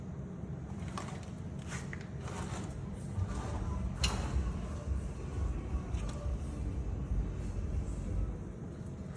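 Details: Mercedes C63S front wheel clicking when the steering wheel is turned: sharp, irregular clicks through a low, steady car rumble.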